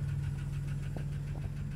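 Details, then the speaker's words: 1992 Plymouth Voyager, cold idle after revival (blown fusible link replaced; burnt oil with metal shavings changed, oil pressure improved): light, quick steady tapping over a quiet idle, blamed on the fuel pump; some smoke. "just so you can hear there's that fuel pump lovely tapping sound see if there's any smoke"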